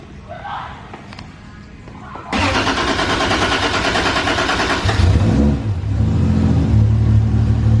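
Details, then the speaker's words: 1.5JZ engine first start after priming. It cranks briskly with good compression, then catches and settles into a strong, steady idle with no knocking. "prime it that sounds good it sounds way healthier than that slow cranking one day that's good compression"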